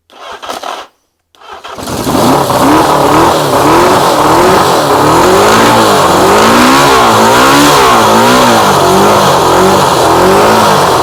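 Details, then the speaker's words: Motorcycle with carbs, starter motor tested fine off a battery: cranking turns into a rough wavering grind as the engine catches; starter grinding, owner suspects a chewed cog where the starter joins the engine. "I don't think it's that I think it's where it's actually joining onto the engine obviously when it's running it doesn't run that so it's fine but that can't be healthy I think there's a chewed Cog somewhere"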